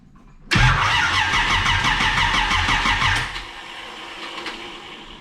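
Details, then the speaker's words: Camaro after new battery and distributor cap, timing being set from top dead center: starter churns about three beats a second for nearly three seconds without catching; timing suspected wrong; cranks but will not start. "doesn't like that timing let's let's throw a wild swing to it and see what happens"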